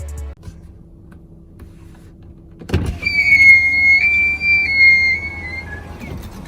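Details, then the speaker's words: Tesla Model X delivered in May, after a few months of use: all four power windows make a loud squeal going up and down, worsening over time; high wavering squeal over motor whir. "前面2个驾驶座跟副驾驶座，还有后座2个位置在按下来跟按上去的时候，都会有很大的声音。这种声音听起来实在是很恐怖，而且越来越大声。"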